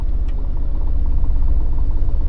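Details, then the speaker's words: Mini with suspected gearbox rattle: in reverse, creeping slowly or fast, low even engine drone with no rattle or clatter, unlike forward gears; this led the owner away from suspecting the flywheel. "forward, fast, in reverse, going slowly or fast, it makes no difference. I get no rattle."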